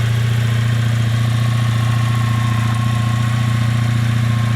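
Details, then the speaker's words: Honda Sabre V4 motorcycle with wasted-spark ignition, idling outdoors after chasing a phantom gremlin and mounting the new shock: deep, steady low burble, perfectly even firing with no ticks, knocks or hunting; working like it ought to now. "That's working like it oughta now."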